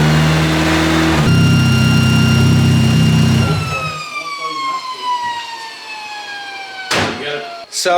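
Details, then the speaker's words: Freshly rebuilt KA-T engine on its second break-in heat cycle, the air control valve now plugged back in after the first start: runs smooth and even for a few seconds, then shuts off with a clean whine winding down; normal running. "we first started it up I guess the uh the air control valve was not plugged in I think it wasn't plugged in for the other first start but we got that good it sounds like it's running really good"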